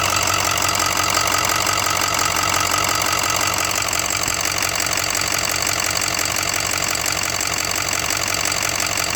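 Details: 2006 6.0 Powerstroke diesel at steady idle with a sharp, regular tick about three times a second; lifter tick or rod knock suspected, not confirmed.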